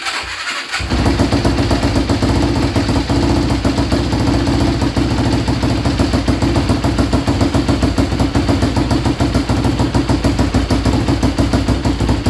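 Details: Yamaha Blaster ATV with a swapped YFZ 450 single-cylinder engine, fuel switched to reserve after starvation: catches within a second and settles into a steady idle with no misses; running normally.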